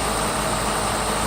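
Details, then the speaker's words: 1994 Mercedes S600 coupe V12 after new mass airflow sensor wiring looms: a smooth, steady cold-start idle at 23°C coolant, with ignition timing of 3.5 and 3.4 on LH1 and LH2 and no misfires. "obviously this is a cold start if we look here we only have 23 degrees coolant temperature"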